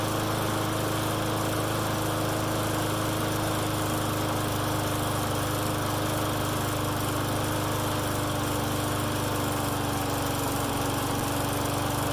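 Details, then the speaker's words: Friend's lawn mower that starts and dies, running with air filter on; runs steadily at fast pitch but uneven and unsettled, better than before, a remaining vacuum leak is suspected. "Okay, so that was better. That tells me we still got a leak somewhere."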